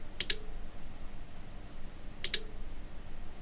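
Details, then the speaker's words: Cambridge Audio Minx Air 100 speaker with no power, bench-powered with lid off: rhythmic double ticks about every two seconds like a relay clicking, no lights; fault traced to failed switch-mode power supply. "when you plug a power in um you can hear this ticking noise. It goes tick tick tick tick ticks like a something like it sounds a bit like a relay clicking inside."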